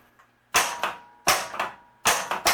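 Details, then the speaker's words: Williams Elvira and the Party Monsters pinball flippers after fitting correct flipper assembly parts (coil stop): sharp crisp metal clacks in quick pairs, no buzzing or dull thunk; normal flipper action. "that's a lot better they feel really crisp and they're not buzzing anymore either the flippers feel and sound much better now"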